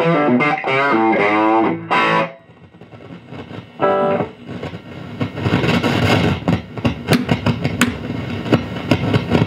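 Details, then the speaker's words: Dr Z Maz18 guitar amp, volume up, EQ about noon, reverb down: loud distorted chords then irregular crackles and pops that come and go; owner suspects a bad tube socket or preamp tube, intermittent, not fixed. "uh that noise I think I might have a bad tube socket or something maybe a bad preamp tube I don't know sometimes it acts out sometimes it doesn't it decided to act up today"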